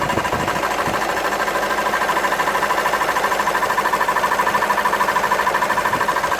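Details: VW 2.0 TDI diesel (CFHD engine) at idle with sporadic engine noise: rapid even metallic clatter keeping pace with idle, tractor-like; abnormal clatter, source unknown.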